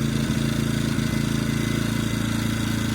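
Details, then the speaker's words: EcoFlow dual-fuel generator engine running on propane with regulator adjusted correctly: steady, even low hum, smoothing out after rougher running when set too far out. "Hear it smooth out."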